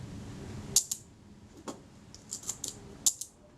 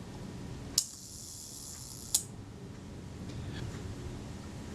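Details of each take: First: Retina IIC leaf shutter after ultrasonic cleaning and graphite-powder lubrication of speed trains, fired at 1/8 s on test: light paired thin ticks with little snap, shutter sounding unnaturally quiet. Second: Retina IIC camera self-timer after its speed train was cleaned ultrasonically and in naphtha and lubricated with graphite powder: a click, an even high buzzing whir for about 1.4 s, then a closing click. A normal, free-running self-timer.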